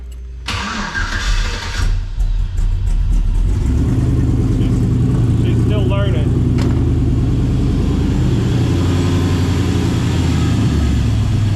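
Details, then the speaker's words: 1954 Chevy Bel Air with LS engine swap, new wiring harness, tank and radiator: cranks briefly, catches quickly and settles into steady, even idle; deep, loud exhaust because the pipe is still short, not yet run over the rear axle. "Sounds really good. And the exhaust is really short because I didn't have, you know, all the pipe to go over the rear axle and everything yet."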